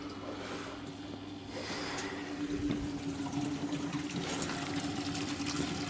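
A steady low hum from the motor runs under gurgling, draining water, with no grinding or rattling; the lift pump is working normally.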